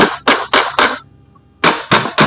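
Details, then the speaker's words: Water pump motor stator being tapped out of its housing: the solid "tok tok" taps change to crackly, rattling "krek krek" taps, showing the stator has come loose from the motor body and can be driven out. "Kalau tadi tek tek tek padat, tapi sekarang krek krek krek itu tandanya lepas tuh."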